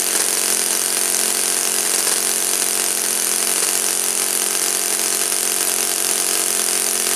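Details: Saito FA-56 four-stroke glow engine, first run after teardown, cleaning and bearing replacement; moderate-time engine on 12x6 prop, OS F plug, 5% Omega fuel. High-revving steady even buzz, no misses or surging; normal running.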